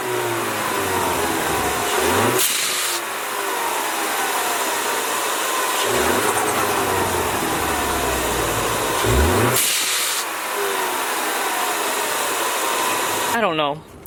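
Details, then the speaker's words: Ford Mustang EcoBoost after Tornado kit install with Turbosmart blow-off valve refitted: revs rise and fall cleanly with no turbo flutter on lift-off. "did not hear turbo flutter between two and three and then up on the three not the high three but just about to get the three i still didn't hear it open but i didn't hear flutter"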